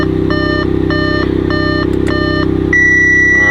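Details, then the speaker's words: Audi S4, supercharged, manual, 140k miles, bought at auction with a suspected blown motor and a busted radiator: fires right up into a smooth, even idle with a deep, steady exhaust note under dash warning chimes; normal idle. "Look at that, fired right up. Wow. Okay. Wow. Okay. Well, geez. Oh, that sounds good."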